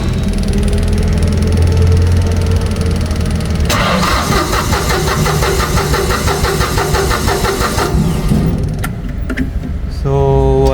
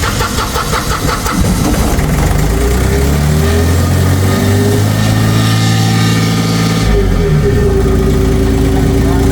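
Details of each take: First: Auxiliary diesel engine with new solenoid and fuel pump; starter cranks with steady rhythm but never fires; low-pressure pump delivers but no fuel at injector lines, blown fuse, fuel shutoff solenoid not powered: crank no start. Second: Auxiliary diesel engine that wouldn't start despite new solenoid and fuel pump; no fuel because the start-position supply was lost, fixed by bypassing the relay to get 12 V; cranks, catches, steady even idle, rises slightly with revs — normal idle.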